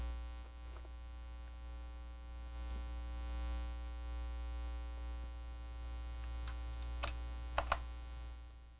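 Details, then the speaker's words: Live-stream audio with a constant low buzzing hum under faint clicks and taps. It is likely mains hum; the host suspects cable shielding from crisscrossed cables, and it gets worse when he moves away. Cause unconfirmed, left unfixed. "well i'm afraid i'm just gonna have to torture you with that hum sorry about that um it's just how it is today i'll have to troubleshoot that"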